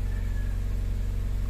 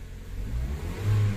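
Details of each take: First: 2010 Mazda CX-5 with shorted wiring and all dash indicator lights on, one fuse found bad: after starting, the indicators stay lit. Steady low drone with quick, even pulsing faster than normal, a high idle. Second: 2010 Mazda CX-5 with shorted wiring, dash indicators stuck on and a bad fuse found: from a raised idle the engine revs cleanly to a quick blip and settles back smoothly. Rev response is normal, but the idle stays high.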